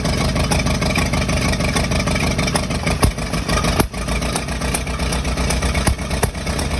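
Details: Engine running with an uneven, lumpy beat and occasional dips in rhythm; possible intermittent misfire, cause not confirmed.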